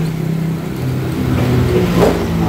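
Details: Honda Vario 125i after CKP sensor cable repair and reset: engine rises smoothly through light revs and settles back with no stumble or cutting out; sounds healthy, though it later felt slightly heavy.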